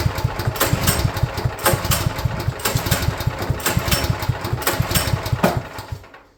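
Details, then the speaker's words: Champion portable generator, sitting unused for at least a couple of years, first start attempt with fresh gas added. Repeated recoil pulls give short compression puffs about one per second but it never catches; spark plug to be checked next. "That seems like a no-go. I'm going to look at that spark plug."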